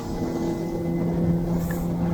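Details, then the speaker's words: Outboard boat engine after trimming out: clean, steady hum under way with no labouring or bogging; running freely and efficiently. "Zing she goes. Trim it out even further. I'll get heaps more revs."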